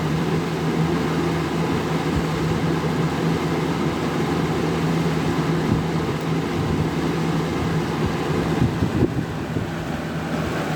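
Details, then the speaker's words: Vintage 1983-84 Sears model 453-8121 20-inch Lasko-made deluxe fan running on high: constant low hum with a steady airy rush and no wobble, rattle or scraping. Runs smoothly, good air movement. "Runs pretty good. These early 80s Galaxy Lasko fans, or pretty much any of the 80s, 90s Galaxy Laskos, all had really good air movement in my opinion."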